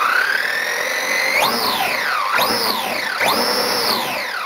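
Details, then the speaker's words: DHK Maximus RC truck on a stand (garbage can) with new motor and ESC replacing the cogging, failed stock ones; clean rising whine through three throttle blips, smooth with no stutter or cogging, now very smooth running. "got lucky it stays nice and good on that garbage can this is now a very smooth running truck"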